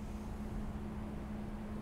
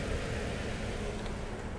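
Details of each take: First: 2007 Toyota Yaris, 150,000 miles, misfire-like shaking at idle: very low lumpy idle under 300 rpm with a constant hum, near stalling; mechanic suspects an extremely dirty throttle body. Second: 2007 Toyota Yaris that shook at idle with battery light on, after maintenance fix, charging at 13.3 volts: steady, even low idle with no stumble, miss or hunting, slight belt screech; engine idling smoothly and healthy.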